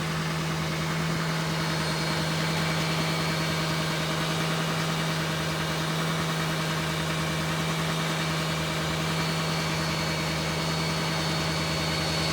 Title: LLY duramax elevated idle turbo whine